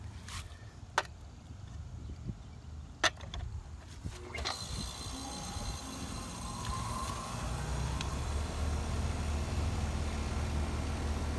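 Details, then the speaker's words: Outdoor HVAC unit whose compressor would not start, believed to be in thermal lockout, heard after it cooled down: a few clicks, then a steady low hum. The compressor runs normally, drawing well under its RLA, with the fan motor at 1.1 A. "It's running. RLA. One point one on the fan motor. So we're under range for sure."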